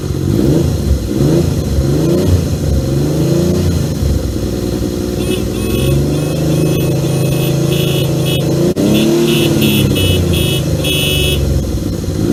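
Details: 1978 Yamaha XS750 Special triple, first run after a three-week revival, kick-started on choke: runs steadily, pitch rising and falling cleanly with throttle, no knocks or misfires; healthy.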